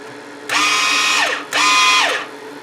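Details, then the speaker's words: DC-converted flux-core welder, after repairing burnt-up rectifier wiring, feed speed set to 10: two clean motor whines spinning up to a steady high pitch; wire feed works, normal wire feed. "you can hear the feed is working"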